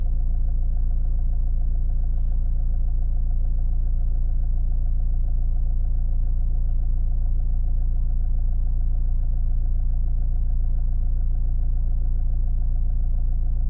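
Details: Opel Astra J 1.7 CDTI diesel at idle after the fuel pressure regulator was cleaned as a temporary idle fix. Steady low idle with even pulses of about 214 a minute, no hunting or stumble: normal idle.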